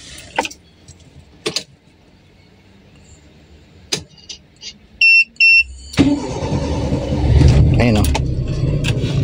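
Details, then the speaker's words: Toyota Corolla 2E carbureted engine, hot restart after shopping: starter churns several seconds before catching; long cranking on hot start, carb solenoid valve suspected. "Start natin ngayon okay pero may time na mahaba siya eh. Mahaba siya mag-start."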